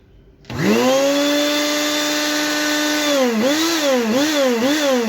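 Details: Mondial blender after replacing the blown thermal motor fuse (motor had overheated, motor itself good): spins up quickly to a steady high hum, pitch dips and recovers under load, healthy motor run.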